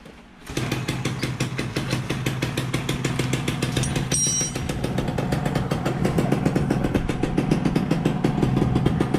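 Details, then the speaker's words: SS110 engine, first start after an overhaul with parts cleaned before reassembly: a quick, even putter settles right after startup with no knocks or rattles. Clean, steady, normal idle. "Okay, kita try start. Dengar bunyi dia."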